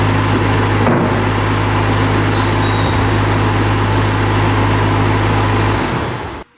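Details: Bobcat skid-steer diesel after a repair of the ACS light and loader arms that would not unlock (controller involved); steady drone at constant speed, no knocks or stumbles, cuts off cleanly; running normally.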